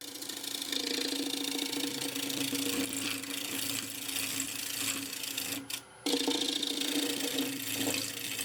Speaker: can hear the vibrations of the wall as I move the bowl gouge down to the middle of the bowl here. That means the harmonics in the spin is on a very, very thin wall.